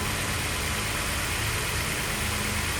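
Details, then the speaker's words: VW Golf VR6 on new rusEFI UAEFI standalone ECU, untuned, coil-on-plugs, 470cc injectors, turbo intake manifold: engine keeps chugging steadily at idle after key off, running leaner; dieseling run-on, cause unconfirmed. "See, I have the keys here. So as the key is here, it will run leaner and leaner"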